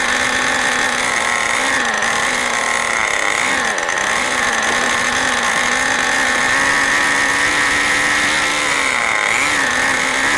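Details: New OS 40 FSR model engine, second tank of break-in: steady high-pitched scream with small pitch dips every couple of seconds, running very fast, higher rpm than wanted; needles still need setting.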